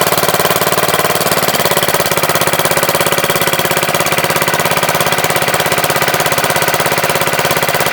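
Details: MTD Wizard lawn tractor small single-cylinder engine after spark plug change: crisp, even rapid pulsing at steady speed, no skips or surging; engine runs really good, owner suspects clutch or transaxle problem, shifters loose.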